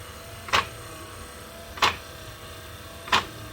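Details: 1966 Ford Bronco windshield wiper motor bench-tested: sharp pop about every 1.3 seconds over a quiet motor hum; wiper linkage snaps each stroke because the mounting bracket sits too far back.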